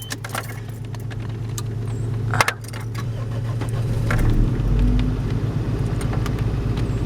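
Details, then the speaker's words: Toyota Paseo after cam seal, oil pan and vacuum line work, warm: even but fast idle near 1800 rpm with keys rattling; low vacuum to the idle control keeps it high, expected near 1,000 rpm once fixed. "to this about 1800 rpm warm it'll drop to about no sir I've been good it will drop to about fifteen and then once I fix the once I get the vacuum pressure fixed with that it'll drop it some more to about right there which should be a hair over a thousand"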